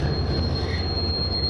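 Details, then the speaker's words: 1973 VW Super Beetle on a test drive after brake repair and bleeding: a steady high squeal while braking over road rumble, which the driver attributes to rust; cause unconfirmed. "Brake squeal and rust. I can hear the rust."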